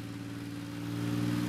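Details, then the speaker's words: BMW E30 Touring after new engine and fuel-supply parts, tested with the throttle cable disconnected: the engine note climbs smoothly as revs build, with no hesitation or hanging; idle no longer creeps up. A throttle body leak was noted. Normal revving. "running it seems to be revving up much nicer than it was before the throttle pedal or mechanism must be a bit [Music] St it's idling at what sounds like normal RPMs and it isn't creeping up on its own anymore so that's that issue fixed"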